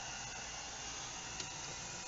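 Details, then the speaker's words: Fridge with the coldest setting at 10, running on a Harbor Freight solar kit: quiet, steady compressor hum with even hiss and no knocks, running normally. "I hear the compressor on. The coldest setting is set at 10."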